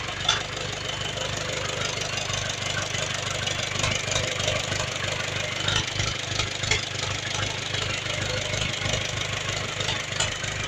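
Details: Ursus C360 diesel tractor, first start after partial engine rebuild with repair kits and all bearing shells replaced after oil loss, overheated shell and knocking: steady, even clatter, smooth idle; normal idle, 3 bar oil pressure warm.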